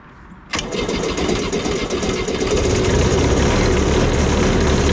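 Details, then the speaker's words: Cushman front-deck diesel mower bought as scrap (supposedly bad hydraulic pump), first start on a good battery after slow-warming glow plugs: catches immediately after a brief crank, then settles into even, steady diesel clatter with no misses; normal start and idle. "all right all right with the a good battery and uh it seemed like it took a long time for the glow plugs to warm up but maybe they weren't I don't know fired right up"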